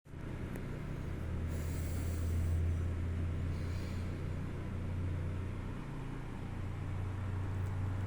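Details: WEG SCA05 servo drive test run after repair: steady, low, even hum without knocks, grinding or surging; the servo motor runs smoothly.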